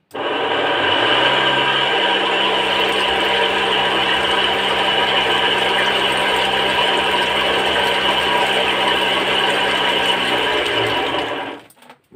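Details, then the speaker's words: Agricultural spray machine pump motor: loud, harsh, steady whirring with a rough edge. Water output is down about 30%, the washer seems okay, and only the bearing needs changing. Worn motor bearing noise. "तो इसमें problem है आवाज ज्यादा कर रही है motor"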